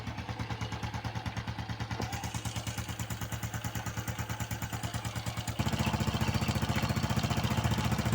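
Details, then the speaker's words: Honda Biz 110 motorcycle engine: quick, even metallic ticking, louder as revs rise; slack cam chain slapping its sprocket, judged a sign of chain looseness causing the engine noise; chain to be replaced. "isso aqui já é algum Indío que a corrente está folgada e está pode estar ocasionando aí o barulho aí desse motor"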